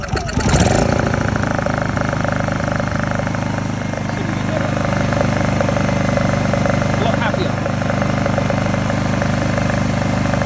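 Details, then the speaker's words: Honda EU20i/EU2000i generator after work on the rough idle blamed on stale fuel, including trying to reach the idle jet: a brief rev, then it settles to a steady hum with no surging or hunting. The idle problem is fixed. "If it wasn't running properly, that would be hunting like crazy. So obviously sad problem."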